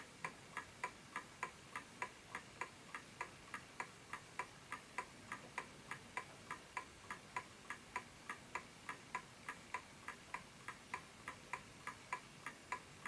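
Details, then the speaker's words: Smiths Enfield oak pendulum mantel clock: crisp, evenly spaced tick-tock about 102 beats a minute in quiet room; clock running properly in beat on a surface where it can perform. "And while this is going, I'll explain to you the reason why that this ticking is important. Is whatever surface you put this on, it has to be that ticking sound, because the clock has to find a place where it can perform properly."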